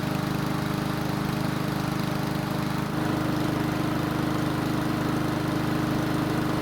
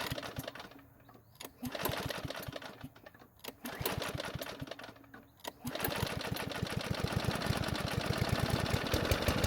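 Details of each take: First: Ariens mower engine that wouldn't start when hot, after carburetor work, running about 10 minutes to full temperature: steady, even single-cylinder hum with no stumbles or surging; it later restarted hot, though not gracefully. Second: Ariens mower after long storage and carb work, hot restart with fuel added to carb: three rough pull-start bursts, starts on fourth pull, uneven hesitant run; hard starting when hot, old gasoline suspected, not confirmed.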